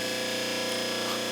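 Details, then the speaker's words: Overhauled 1 hp repulsion-induction motor (Delta 1937-41 saw/jointer), refurbished commutator, new bearings, brush angle tweaked: steady even hum with light brush hiss, constant speed, no sparking at the brushes; healthy run. "it's awesome there's no sparking in there at all so that's really nice the brushes are running really good"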